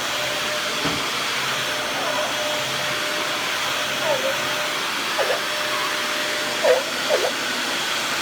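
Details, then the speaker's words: Dyson DC41 vacuum, trash find with replacement used cord and new dust bin latch, running: steady rush with thin whistle and short intermittent squeaks. Noise traced to the dust cup seal, attributed to the machine's plastic flexing. "Because the machine's flexing, it's making that noise."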